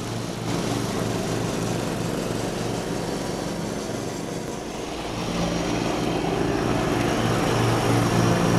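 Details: 1989 John Deere RX75 riding mower mowing tall grass: a steady single-cylinder thump that deepens and strains slightly as it bites in, otherwise even. The deck may be cutting a little low; it is mowing normally under load.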